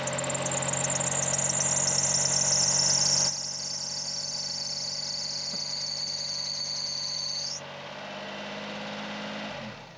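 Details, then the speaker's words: Honda Beat at idle, alternator belt squealing (the belt sits beside the AC compressor): a shrill, steady high squeal over the idle that stops partway through, pointing to a slipping, under-tensioned belt. Alternator belt squeal. "Well, I can't tell just by looking at it.Yes, and it's still making noise, so I decided to check it out more properly and access the engine room."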